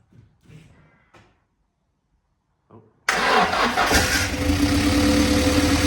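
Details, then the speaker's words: Car restarted after 20 years off the road, possibly flooded: cranks and catches, then runs lumpy and uneven as if on only two cylinders; plugs to be changed, cause unconfirmed. "hey wow sounded like it was running on two but yes but yeah that one doesn't go right down"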